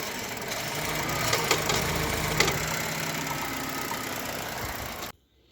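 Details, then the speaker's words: Chevrolet Cobalt 1.5 B15D2 at idle with uneven knocking and rattling and sharper clacks, sounding as if the engine will fall apart. The cause was a failed, dirt-clogged belt tensioner pulley assembly, with oil attracting dirt; the fix is replacing the rollers and belts. "Ну что такое не могу поймать вот такой вот звук как будто двигатель сейчас развалится"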